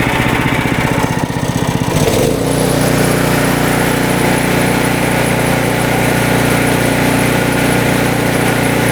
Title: Will SEAFOAM Fix This Surging Snowblower? The Result Was Not What I Expected!